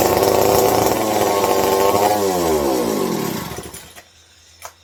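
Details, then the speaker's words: Old McCulloch 740 chainsaw, points ignition with old condenser suspected erratic: screams at a high steady rev then winds down and dies over two seconds; idle too high, likes fuel, new carb planned. "So, likes its fuel. Likes its fuel. I like how it sounds, I just don't like how it revs up real high, but we can work with that."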